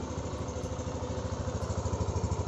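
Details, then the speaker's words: 2020 Yamaha NMAX scooter just started on a Faito ignition coil made for Sniper 150 Fi, side stand up; even low thump at idle with steady exhaust note and no misses, running normally. "Maandar siya. Normal lang minor. Walang problema."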